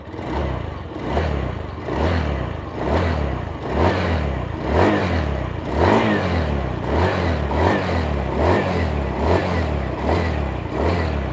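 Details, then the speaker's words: Indonesian motorcycle just reassembled with new connecting rod, old crankshaft and counterweight kept: after a rough start, engine blipped about once a second, rising and falling cleanly with no knock, very smooth idle and revving. "Nah ini udah bunyi teman-teman mungkin enggak begitu dengar suara mesinnya karena alus banget kemudian blayeran nya"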